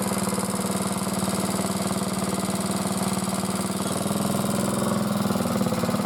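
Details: Motor-cultivator that knocked and stalled in autumn after hard use and started poorly, running after valves checked (intake upper 0.20, exhaust lower 0.15 clearance); gearbox turning; steady even single-cylinder thump, no top-end tapping; normal running.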